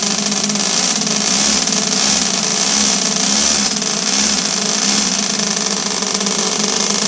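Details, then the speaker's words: Toyan twin-cylinder four-stroke model engine in a Tamiya high-lift build, on start-up: loud, fast crackling putter from both pipes settling into a steady, even tickover; idling nicely. "It's got a nice sound on tick over. You can hear the 2 pipes."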